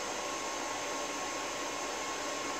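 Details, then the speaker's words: APC XS 1300 desktop UPS reassembled with the temperature sensor reconnected. A steady, even airy fan hiss with no rattle, grinding or beeps: running normally with no error, estimated runtime 14 minutes. "Click Clack see if we get an error all right so that's happy three mics and whatnot clearly there's no error"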